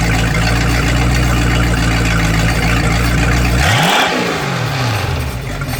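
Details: Boat engine run out of water on earmuffs with garden hose, after newly crimped battery wire connectors: steady low drone with even firing, pitch sweeping as revs settle into a smooth, even idle; normal idle.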